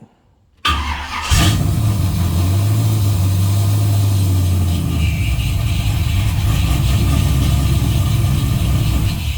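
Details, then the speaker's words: LS-swapped G-body Cutlass with Holley, started after replacing failed PDM box relay; short crank, catches straight away and settles into steady, even run before shutting off: normal start. "72 hours later. All right, just so I can shut this video out real quick, show it working."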